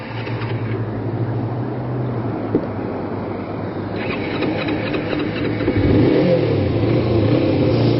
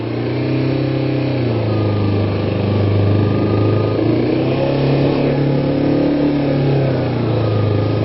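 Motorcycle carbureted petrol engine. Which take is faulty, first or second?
first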